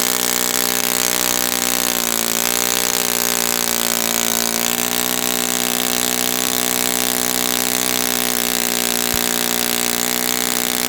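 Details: Brand-new Saito FA-100T twin on a test stand, break-in run: loud, steady high-pitched buzz holding even pitch without surging or sagging; rich with oily exhaust, not lean, healthy.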